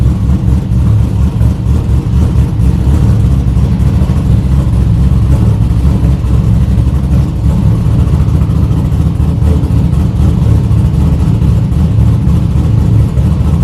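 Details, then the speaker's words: 1972 Buick Skylark with stock 5.3 V8 and cam, O2 sensor pending replacement: heavy, even low rumble held steady, no knocks or misses; runs cleanly and healthy. "Man, this car sounds good. For just a stock little 5.3 with the cam, get that O2 sensor changed, it should run even better."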